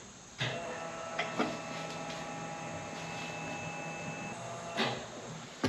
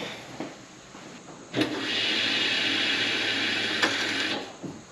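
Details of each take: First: 1989 Fox Body Mustang, Aeromotive 340 lph electric fuel pump with adjustable regulator set for 55 psi, tank filled first time in 20+ years: thin steady hum with faint whine, zero psi; suspected too little fuel in tank. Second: 1989 Foxbody Mustang, 340lph Aeromotive fuel pump with adjustable regulator and 6AN lines, first prime after 20+ years once more fuel added; even high whir for about three seconds then stops, pressure nearing 60 psi; normal fuel pump priming.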